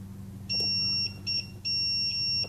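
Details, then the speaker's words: Digital multimeter in continuity mode, probing relay leads while building an RF preamp: a clean, high, steady beep in three bursts marks continuity between leads that touch. "Use your continuity meter of your DVM, digital voltmeter. You hear the beep?"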